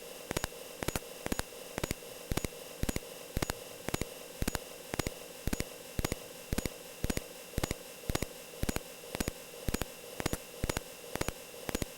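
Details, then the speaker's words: Atari 8-bit disk drive saving a 7.6 KB graphic, about 62 sectors, from BASIC one character at a time without burst mode: short sharp beeps about once a second over faint hiss, one per sector written; normal. "so you'll hear 62 individual little beeps as it writes out the data and see you can hear it right there it's writing out each of those"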